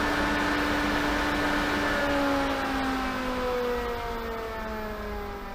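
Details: Variable speed pool pump coming down from full speed (almost 10 amps, 2.27 kW, about 82 gpm): smooth motor hum with a clear whine slowly dropping in pitch as the speed is turned down; normal running.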